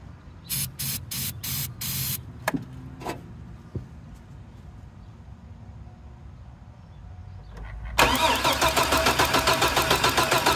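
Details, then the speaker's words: 2002 GMC Sonoma 4.3 Vortec parked since 2017, rat-chewed wires, old fuel: starter whirs in short bursts then cranks steadily at about three and a half beats a second but never fires; crank no-start. "I don't know it'll turn over it's just not wanting to fire"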